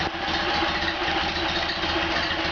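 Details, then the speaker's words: Freshly rebuilt stock Ford Model A engine, exhaust supported by a jack stand, with NOS Tilly carb, FSI Zipper distributor, Stipe B 330 cam, Nu-Rex alternator; smooth even idle, steady low hum, no knocks, very little vibration. "Alright, sounds good. And very little vibration. Okay, I think we're happy."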